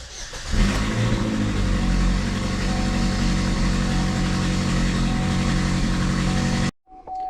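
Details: 2013 GMC Terrain 2.4, 335,000 km, after repairing fuel pump control circuit wiring that caused crank-no-start (fuel pump not running; lean, misfire codes): catches quickly and runs steady, even with no misfire or stumble; normal start and run.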